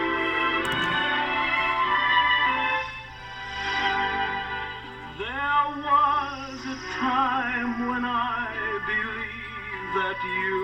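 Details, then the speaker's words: 1950 Emerson Model 587A radio after restoration, with the suspect speaker re-glued: singing and music come through clear and undistorted, no buzz or rattle even with volume up. Clean speaker output. "Sounds pretty good, even with the volume up."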